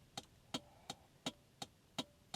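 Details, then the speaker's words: Rover P6 3500 V8 Mark 2, garage find with auto box: indicator stalk switched on, flasher relay gives crisp, evenly spaced clicks about three a second in a steady rhythm; normal indicator flasher clicking. "what does this one do very nice is that for headlights what one is this like a flash is this like main beam and high or was that indicators this is indicator look just listen to that just take a moment oh appreciate"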